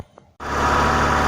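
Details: VAZ 2109 engine that had a knock, after camshaft replacement, reassembled with the old valve cover gasket and warming up: it catches and settles straight into a steady, even hum with no knocking or tapping. It sounds healthy and runs normally.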